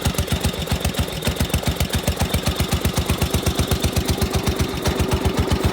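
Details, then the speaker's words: 16 hp Briggs & Stratton engine on an 8163B, cold start at 12 degrees under a snow-covered tarp: single cylinder idles with a steady, even thump near four beats a second, no misses or knocks, settling nicely. "here we go that's a cold start 12 degrees can't beat that"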